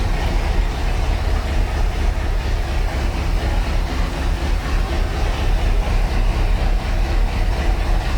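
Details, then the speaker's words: 1976 Ski Nautique boat engine, Pertronix D231801 distributor, first start, not yet warm (90°, thermostat closed), oil pressure 50 psi, tach about 1000 rpm: steady even low rumble, no knocks or misses; fast idle with throttle cracked as carb is off. "attack is reading a hundred Auto pressure is reading heavy 50 pounds oil pressure the attack is reading a thousand which is a little high"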